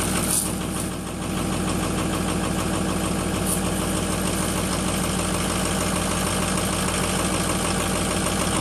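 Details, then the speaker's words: Ford 6.0 diesel, first start after FICM repair (wouldn't run with bad FICM), new batteries, unstarted almost four weeks, smoking at first: idle with uneven lumpy beat about two per second, settling slightly but still rough. "a little rough at first hadn't been started in almost four weeks it puffed out a lot of smoke at first"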